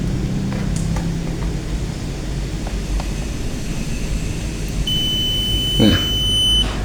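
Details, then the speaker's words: Multimeter continuity test on blue wire of mains input cable of dead Modern M2130B electric drill: steady high beep under two seconds, wire conducts; fault later found in switch or its cable. "Oke, kita menggunakan avometer di bass atau yang bunyi itu supaya kita tahu apakah ada tegangannya masuk atau enggak."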